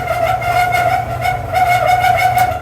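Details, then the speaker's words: Clothes dryer running with the door switch held in: a loud, steady high squeal over the low rumble of the turning drum, which started in the last couple of days. Suspects a rear drum roller or front rub block, to be greased. Not confirmed. "Woo-wee, he's a noisy one. Anyway, there's a couple of rollers in the back there. One on here and one over there in the back. Then on the front here's a rub block and another rub block down in there. So one of them things isn't being happy."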